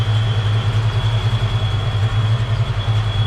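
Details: Fox-body Mustang with new fuel pump, during fuel volume test at the fuel rail service port: steady low rumble with even pulse and faint constant high whine; idles smoothly, healthy.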